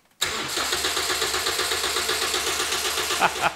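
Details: Budget engine-swap car started with a Yaris key, its transponder held against the key-barrel antenna to pass the immobilizer: steady rapid cranking, about four turns a second, for over three seconds, never catching. Crank no-start; immobilizer not accepting the key.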